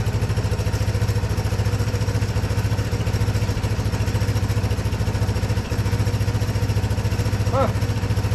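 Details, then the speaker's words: 1982 Honda ATC 200 "Big Red" three-wheeler after years of storage, first start in neutral, low range, carb still needing tuning: even steady low thumping about three to four beats a second, no misses or knocks; runs nice and quiet, normal idle. "But so far it runs nice and quiet, doesn't."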